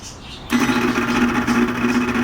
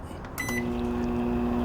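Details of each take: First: Microwave oven that still heats fine but makes a terrible noise: a steady buzzing whirr with a rough edge the whole time the plate turns, recorded close up with the oven tipped up. The worn, noisy turntable motor is to be replaced. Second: Microwave oven after replacing turntable motor (4–8 rpm) to fix horrible noise: beep, then steady quiet hum with no grinding or scraping; normal running.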